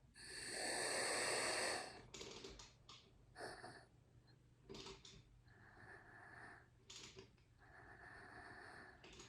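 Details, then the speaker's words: 2010 Subaru Forester, air supply to a cylinder with the gauge hooked up, crank turned with a 22 mm socket to find top dead centre: loud steady air hiss, then short bursts on the compression stroke. "go around and you can hear the air hissing on the compression stroke"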